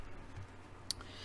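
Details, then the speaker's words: Yamaha CR-1020 stereo receiver after protection board repair, reported popping and protection relay cutting in and out; powered on at minimum volume, a single clean relay click as protection engages, no popping. "okay just turned it on there's a relay click"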